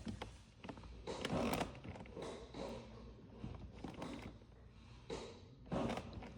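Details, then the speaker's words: 2008 BMW 328i E90 clutch pedal, light feel, after slave cylinder replacement and bleeding: a sharp click then dry creaking in the final stroke of the pedal each press; cause unclear. "So, we hear one click and then sort of like a I don't know something moving, crushing or it's a click and then a creek."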